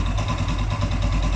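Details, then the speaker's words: Blackbird 250 motorcycle, engine sounds good with no strange noise; steady, even single-cylinder thump at idle with no knocks or rattles, healthy. "Entonces el motor se escucha bastante bien ya ningún ruido extraño que apenas tiene 6000 kilómetros"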